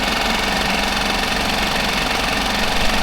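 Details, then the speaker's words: Mercury 5 hp four-stroke outboard with the cover off, even busy clatter with no misses or knocks after a fuel pump replacement meant to cure loud ticking after submersion; slight decibel drop. Normal idle. "so i think that job is done as you can see it looked like it did drop it down some decibels"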